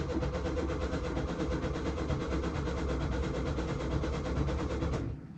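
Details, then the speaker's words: 1966 VW Westfalia camper bus after sitting over 30 years, cylinders previously oiled, newly wired ignition switch, fuel added: steady, even cranking for about five seconds with no firing; cranks but won't start, owner suspects no spark. "think she's getting I don't think she's sparking"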